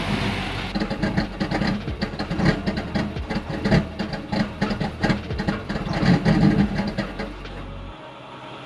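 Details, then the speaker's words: 2019 Nissan Titan that stalls and struggles to start: it runs with an uneven, surging low rumble, then shuts off. Battery reads 12.41 V afterwards, so the battery seems not to be the cause, which is unclear. "you can see it just ran and ran until it shut off so I'm going to take my meter out here right now I'm seeing 12.41 volts"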